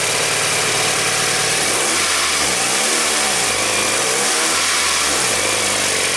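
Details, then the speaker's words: 2000 Toyota Camry with the timing belt cover off, engine revved twice: a light flapping rattle rises and falls with revs. The loose timing belt was the cause of the noise; the belt was replaced and properly tensioned. "now if it was hitting the cover the noise should go away right so let's fire it up rev it up and see where the noise is coming from"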